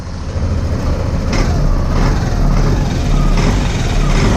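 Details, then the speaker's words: 2022–2023 Yamaha Zuma 125 scooter after replacing the cam chain tensioner to cure an engine knocking noise: a steady, low drone with no knocking or ticking, so the noise is gone. "So yeah, let's start it. Let's see what happened. And that's it. And the noise is out, as you can hear it."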